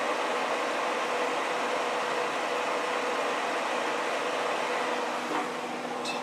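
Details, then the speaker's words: New Traeger wood pellet grill switched on with dial at smoke, draft fan behind the fire pot kicks on with steady even hum and smooth whir, no rattle or scrape; fan running normally. "All right, we turn it on right here. Temperature dial's already on smoke. You can hear the fan start to kick on right there."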